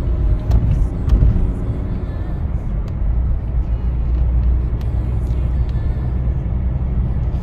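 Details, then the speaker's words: Skoda Yeti 2.0 TDI diesel, 2012, about 150,000 km, driving at road speed after replacing a badly worn, loose wheel bearing: only a steady low road rumble, no hum or growl building with speed; bearing now quiet and healthy. "Cichutko No mówię łożysko było w opłakanym stanie to widzieliście to wszystko latało niesamowicie"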